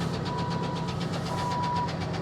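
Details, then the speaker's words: Salvage auction car that sat a long time idles with a quick ticking knock; it has oil pressure, and the knock persists when revved, sounding unhealthy, cause not identified. "Me personally, I would not give $6,700 for it, but she does run. Ooh. That almost sounds like a knock."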